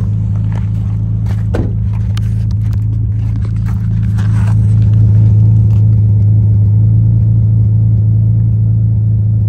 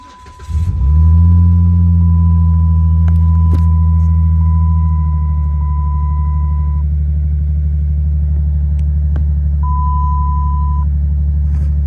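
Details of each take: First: 2007 Dodge Magnum 3.5 V6 at cold idle shortly after start, heard at the exhaust: uneven, stumbling puffs from a misfire; code P0303, cylinder 3, occurring only when cold. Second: 2007 Dodge Magnum 3.5 V6 petrol cranks, catches quickly and settles into a smooth, even idle after replacing a cracked spark plug that caused a cold-start cylinder 3 misfire (P0303).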